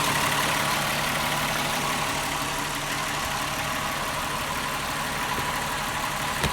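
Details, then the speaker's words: 2001 VW Jetta VR6 (12-valve), cold start just after replacing the intake manifold shifter rod to fix a clacking noise: the engine idles smoothly and steadily, with no clacking or knocking. "actually feels like it's running smoothly sounds good"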